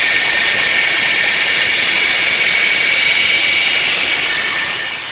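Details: 2006 Hyundai Sonata 3.3L V6 at idle: steady thin high-pitched whine or squeak over an even idle, unchanging; source unknown.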